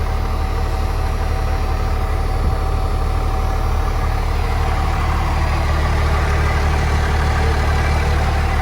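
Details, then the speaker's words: 1997 Dodge Ram 2500 12-valve Cummins diesel with AirDog, being jump-started, fuel nearly empty: steady even diesel clatter at idle with firm low rumble, no hunting or lope. Normal idle. "i figured 12 hour life so yeah i doing pretty good no lope or nothing"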